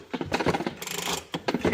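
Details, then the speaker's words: Curb-found Ryobi leaf blower after a new blower assembly was fitted, engine off. Short bursts of tinny, irregular rattling each time the unit moves come from the muffler's broken internals: loose muffler internals rattle. "That is that is that muffler just rattling around in there. Every time we move this thing, it rattles. It's going to make a racket."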